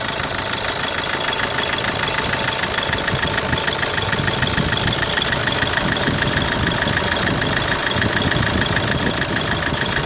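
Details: 2010 Opel Corsa D 1.3 CDTI diesel at idle: a fast, steady sharp knock, about three per second, over the diesel clatter. Abnormal engine knocking, cause not identified.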